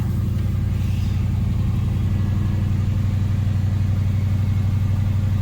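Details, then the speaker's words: Chevy Nova V8 on newly installed Holley Sniper EFI, after fixing a leaking fuel line splice: steady even idle sitting noticeably faster than normal warm idle; idle running high, cause unknown. "our idle's running a little high. So I'm not quite sure why."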